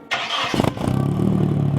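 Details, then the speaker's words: Nissan 240 with single-cam KA engine just fitted with a ZSS Racing exhaust: short crank, quick catch, then an even, fairly deep idle with a steady pulse; starts and runs healthy. "It's a 240, it should start with like anything. ZSS Racing exhaust and the single cam KA."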